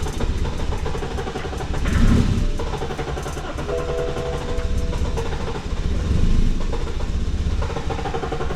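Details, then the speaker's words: Cheap Copart car that cranks but won't start: long, uneven cranking stretches that never catch, even with ether starting fluid. The fuel pump is on and fuel is present, but the injectors aren't being triggered; the cause is unknown. "Nothing. It's cranking. It said something on here about fuel pump earlier. It seems like it has fuel running to it, but it's just not starting."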